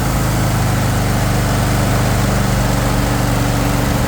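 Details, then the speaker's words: Troy-Bilt Mustang XP 50-inch zero-turn mower, 24 hp Kohler engine, 370 hours, idled down: smooth, steady putt at about four beats a second, no rattles, knocks or bad vibrations; normal healthy idle. "No bad vibrations or anything it shouldn't have when you idle it down for you."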